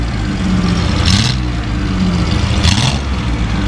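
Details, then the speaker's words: Datsun 280Z barn find, off the road 18 years, warming up: deep, strong exhaust note that revs and settles cleanly without bogging; now revs freely and runs well. "Oh, it's so much happier to rev. I know, it's running good now."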